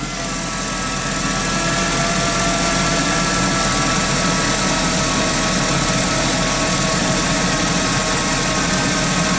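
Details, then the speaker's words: 2006 Chrysler Sebring with transmission limp mode and speedometer jumps, idling with the blower fan on while voltage is checked: a thin high whine that strengthens under electrical load; alternator suspected, not confirmed. "so we're going to leave that on and see what this uh voltage does I noticed that the winding sound gets a little bit more vigorous too"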